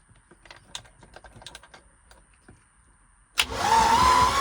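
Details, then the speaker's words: 1989 Tige ski boat after years of sitting, cranked after charging the battery: quiet clicking, then the starter spins the engine over briskly and evenly; healthy cranking, not yet started. "Is that a good sign? That's a good sign. All right. So, she's spinning. We're good there."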